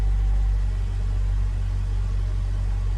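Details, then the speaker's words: Ford Ranger after a fuel pump replacement, first start with air pockets in the lines and given some gas: low, smooth, steady idle rumble with no misses, ticks or surging; engine runs fine. "it might die here a little bit because of the air pockets give it some give it some gas it seems happy yeah it seems happy"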